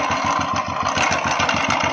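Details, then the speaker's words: Royal Enfield Thunderbird at idle: sharp regular clacking on every engine beat from the clutch side; one mechanic suspected connecting rod, but starter one-way clutch found with rollers completely broken. "मेरे ख्याल से ये गाड़ी का जो self का जो गियरा था वन वे क्लच शायद वो गया।"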